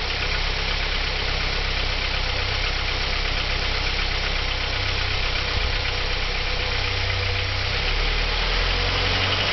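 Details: 1987 Audi 80 B3 with the 1.8 JN engine at idle: a faint, irregular tapping about four times a second runs through the idle. The owner asks what causes the knock; it is unknown.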